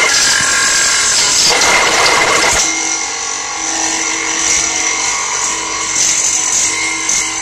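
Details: Subaru Vivio making a loud noise during the commute: harsh, loud grinding and rasping over a running engine, then a burning smell before shutdown; owner suspects a failed rotating part, possibly belt-driven, and cause is unconfirmed.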